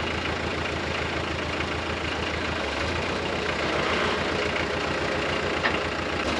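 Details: Nissan SD22 2.2L 4-cylinder diesel swapped into an Oliver OC-3 crawler loader, freshly started, running without coolant: low, steady diesel clatter at slow idle, even firing, no knocks or misses, speed dropping slightly as the idle lever comes down; normal idle.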